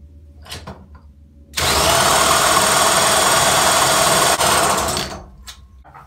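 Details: 1975 VeloSolex moped being cranked after intake work: about three seconds of fast, rough mechanical whirring that never catches. Its spark plug was afterwards found wet. Cranks but will not start.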